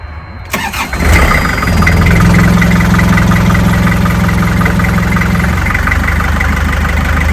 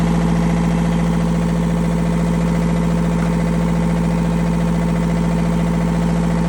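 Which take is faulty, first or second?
first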